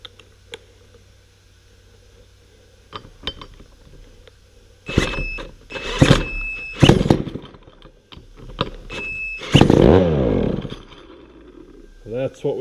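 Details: Vintage McCulloch Super 550 chainsaw with cleaned carburettor and cleaned points, spark restored: rapid pull-cord rasps, then short ragged bursts that catch briefly and die while running on starting fluid.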